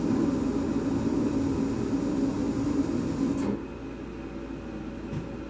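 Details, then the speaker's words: Mr. Heater gas furnace on first firing, burning off factory residue; low steady burner roar for about three and a half seconds, then drops to a faint hum, so the burner lights but won't stay lit; owner suspects gas pressure. "So I'm having a little issue. It's kicking on. I hear the burner lighting, but it's not staying lit."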